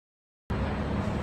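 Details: Diesel after replacing the ICP valve, the high-pressure oil rail seals and the valve cover gasket to cure a hard start: steady low rumble with even firing, idling normally.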